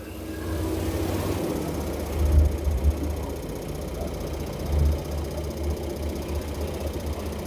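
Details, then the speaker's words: Samsung 7 kg front-load washer motor after carbon brush replacement: low, even motor hum with only a couple of brief bumps, no grinding or scraping. Slight brush noise that settles; normal motor run. "It's little bit it's noise coming from the carbon brushes. After it will come stable, it's not making abnormal noise. From the beginning it will come like that."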